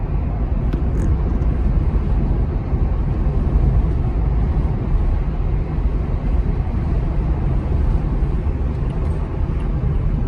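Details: From inside the car at low speed around 15 mph: steady low droning rumble from the rear tires, no ticking or knocking, unchanged by side-to-side loading, sometimes louder decelerating; wavy, unevenly worn tread, not a wheel bearing.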